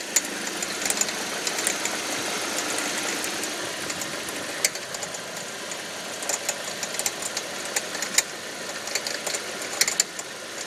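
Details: 2005 Audi 1.8T: sharp, irregular popcorn-like ticks and pops only under load in gear, seemingly near the alternator, with no check engine or oil pressure warning; owner wonders about water pump or alternator; cause unknown.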